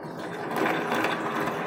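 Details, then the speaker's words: Honda Beat FI with rough-sounding CVT: dry gritty whir from the drive as the rear wheel is turned by hand; pulley sliding looks fine, so worn CVT pulley shaft bearing suspected. "Oh ini teman-teman nih berarti kurang lebihnya ada masalah pada laher as puli CVT ini teman-teman yang ada di dalam ya terdengar ya teman-teman tuh terlihat dari kegoblakannya parah sekali ya jangan-jangan suaranya ditimbulkan dari as puli CVT ini tetapi laharnya ya"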